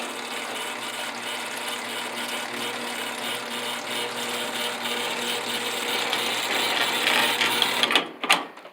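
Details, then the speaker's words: Helpmate 10-foot chain-drive garage door opener with square tube rail and chain dog: steady rattling chain whir with a light clatter, running fairly quick and even until it stops; normal operation. "it is a little bit speedy see it's got the chain dog"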